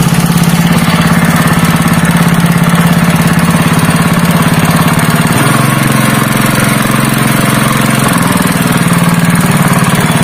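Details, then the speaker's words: Honda GX160 5.5 hp single-cylinder engine, previously pulling as if it had no compression, runs after a valve clearance adjustment (IN 0.15 mm, EX 0.20 mm) and reassembly of the carburetor and air filter: a steady, even thump with no misses, knocks or ticking, back to normal. "वह परिणाम नहीं है, दोस्तों, इंजन वापस सामान्य हो गया है और एक बार जब आप इंजन को खींचते हैं, तो यह तुरंत शुरू हो सकता है इंजन।"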